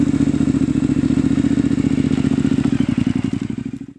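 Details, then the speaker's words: 2005 Triumph Bonneville America, first start after years in storage, on choke: choppy, uneven chuffing at about four beats a second that fades and dies; idle possibly set low, seems to fire on one cylinder, still needs tuning. "maybe the idle set a little low i didn't really mess with that [Music] almost sounds like it's hitting that one [Music] cylinder"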